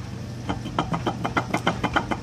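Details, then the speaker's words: Chevrolet LS1 water pump with 150,000 miles, shaft with play, giving a quick, even clanking over a low hum, the clanking noise heard with the engine running; removing the serpentine belt to silence it points to the pump. "it should not have any play like this and this sound right here is the exact sound you're hearing when your car is running your water pump"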